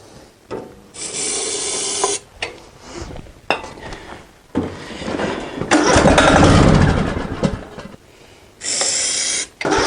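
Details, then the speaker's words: Greenfield ride-on mower on a hot 35-degree day, with the fuel pump and filter primed: repeated cranking bursts that nearly catch, then die. The spark plug keeps getting fouled with diesel, though the plug itself is okay. Fouled spark plug. "just pulled the spark plug out it was failed with diesel yet again the spark plug itself is okay but I think you just get keeps getting failed"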